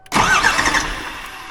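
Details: Cummins 12-valve 5.9 diesel swapped into an OBS Ford F350, first start attempt while bleeding the injector lines: a short, rough burst of cranking fades without catching; air in the injector lines.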